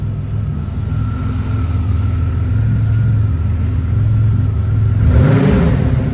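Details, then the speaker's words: 1987 Buick Grand National turbo, 32K miles, one owner, revived after 12–13 years abandoned, warm at about 40°F ambient: pulls up cleanly on the throttle and settles smoothly, no knocks or misses; normal free revving, though leaking oil with fuel in the oil. "Not seeing any smoke. That's condensation. Engine sounds good."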